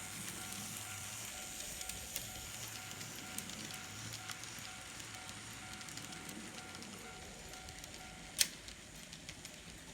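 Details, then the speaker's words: N scale Model Power 4-6-2 Pacific locomotive, bought as not running, after major repair: faint, steady motor hum at an even pitch with no stutter or grinding, then a click as it stops; runs normally. "well i wasn't sure i could get it going but in the end it worked out well"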